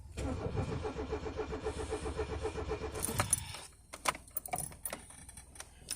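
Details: Peugeot 205 1.4 laid up since July with a gearbox fault: slow, even starter cranking at about four pulses a second for three seconds, then clunks without catching; a hard, long-cranking start, cause unconfirmed.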